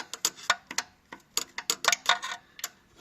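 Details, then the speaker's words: 2012 Audi Q5 turbocharger, engine off: sharp uneven metallic clicks as the wastegate actuator rod is worked; worn bushing lets the flap rattle and not seal, so the turbo can't build full boost, a common Audi problem. "So this is a common problem on the Audi turbochargers. What happened is that bushing develops play, and it's causing that flapper not to seal tight."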